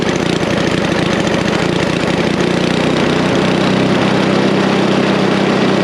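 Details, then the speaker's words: Snapper I 422 two-stroke snowblower, idle circuit already tuned, now setting the main jet circuit: loud, busy steady-speed running with slightly uneven firing while the main mixture is adjusted. "once you have the idle circuit tuned in now you can do the main jet circuit the reason you need to have the idle set first is the idle circuit is part of the main circuit you run both jets let's do the main circuit"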